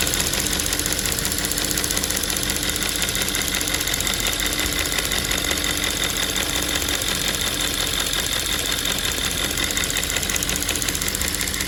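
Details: Audi S5 4.2 V8 (2010) at idle: fast, light, steady ticking over a smooth V8 idle from a faulty fuel vapour purge valve clicking; the valve is diagnosed and replaced.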